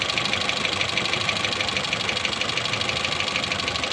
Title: Renault twingo 2 2010, d7f engine, ticking noise